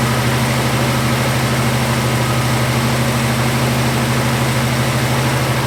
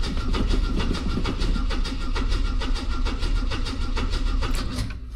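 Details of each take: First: Classic six-cylinder after carburettor float/bowl cleaned and reassembled with old gaskets: steady, even low idle with a firm, unchanging beat and no knocks or misses; idling normally. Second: Classic carburettor car from a long-stored collection, choke on, new fuel pump: steady rhythmic starter churning, engine turns over but never catches. No fuel at the carb; pump not yet blamed, float bowl to be checked.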